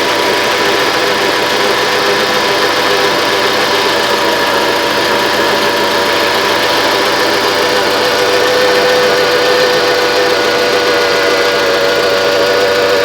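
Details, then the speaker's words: 1995 Mitsubishi Expo after engine overhaul (machined head, new rings and seals), not yet fully warm, low on antifreeze: steady, even idle with a smooth light tick and no knocks or misses; sounds pretty good. "Sounds pretty good to me. I better shut it off before it really warms up because it's low on antifreeze. However, this is pretty nice."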